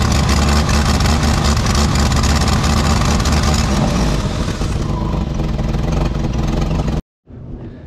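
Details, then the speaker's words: 1989 Jeep Wrangler YJ 4.2 inline-6 with carburetor, 5-speed, parked 9 months: revs roughly with choppy, uneven sputtering as soon as throttle opens, a misfire; cause could be fuel (carburetor, filter, pump) or ignition, not yet found. "last time I drove it as soon as I gave it some throttle it just started missing and sputtering"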